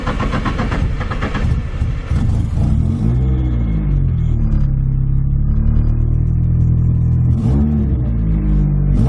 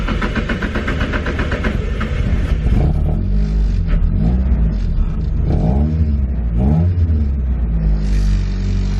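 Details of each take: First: Nissan 240SX SR20 on first start after fitting an eBay EMUSA exhaust not yet fully tightened. It has a loud, raspy, popping note at idle and on blips. The suspected cause is an exhaust leak or the muffler. Loud exhaust noise at idle. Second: Nissan 240SX S13 with a turbo SR20DET and a newly installed 3-inch EMUSA eBay catback, now fully bolted down: revs blip up and drop back to a steady idle with a loud, deep muffler tone; no puffing or ticking leak, so it sounds healthy.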